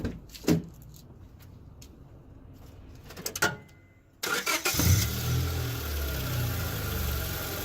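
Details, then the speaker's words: Car idling after its O2 sensor wiring was ripped out by a run-over cat, port plugged with an old junkyard O2 sensor left unplugged: starter clunks, then steady even low idle, no more rasp or leak sound; normal idle. "cool so yeah now there's no more leak sounds it sounds super clean doesn't sound all raspy anymore"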